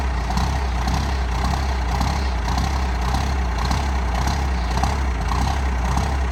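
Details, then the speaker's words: 1985 Ford F250 with 12-valve Cummins swap, cold start at about 24°F after sitting overnight, no grid heater, timing advanced: heavy uneven diesel clatter surging every couple of seconds after a hard start; air leak at overflow valve. "it has a small air leak from the overflow valve i need to replace that so it's gonna it's gonna do a pretty good hard start and then probably die and then start again"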